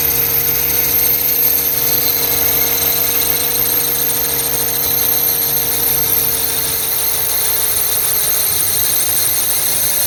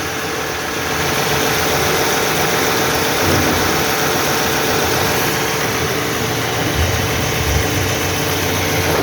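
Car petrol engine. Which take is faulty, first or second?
first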